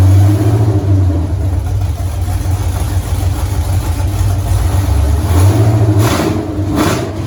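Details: 1983 Mustang with cammed 5.3 LS from 2002 Avalanche, in park, thermostat not yet open, idle around 750 rpm: low lumpy uneven loping beat, short rev blip; idle chops and sags slightly, mild flat spot, more chop at lower rpm, cylinder temps even.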